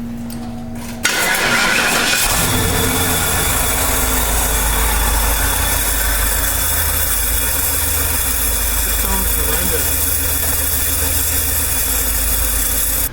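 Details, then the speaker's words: 1995 Cadillac Eldorado Touring Coupe, A/C compressor at passenger front of engine bay with metal shavings, refrigerant mostly escaped: engine running with a thin whine and rough chatter from the front; failed A/C compressor and clutch. "Working on the 95 Eldorado touring coupe today. The clutch and the air conditioning compressor went bad."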